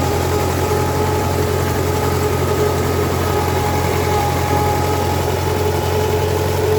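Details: MTZ-5LS tractor diesel after valvetrain repair (broken 3rd and 4th cylinder decompression arms found), first test run with valve cover off to check pushrod oiling; steady even idle of a few beats per second, no top-end clatter, healthy.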